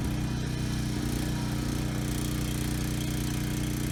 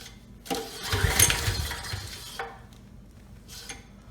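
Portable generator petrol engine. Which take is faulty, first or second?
second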